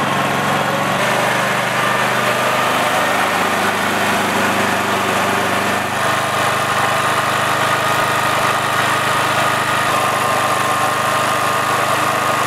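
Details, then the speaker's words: Honda GX390 generator engine, auto throttle switch off for maximum revs: steady single-cylinder drone that sits low and lazy, RPM a bit slow, below the roughly 3600 rpm target; governed speed needs adjusting. "now the issue with this generator is that the engine RPMs are a bit slow I'm going to start it up to show you and then I'm going to take a reading with my tachometer"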